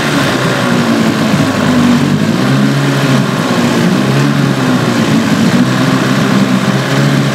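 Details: Evinrude/Johnson 15 HP outboard, steady drone with a thin whine on top that doesn't let up; less bad since the drive shaft was swapped but still heard and felt, source not pinned down; a parts motor.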